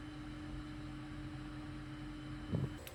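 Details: Climma AC plant after repairs (inverter board swapped, burst glycol pipe and flow meter circuit fixed): low steady hum with constant mid tone, no knocks, rattles or surging; running smoothly.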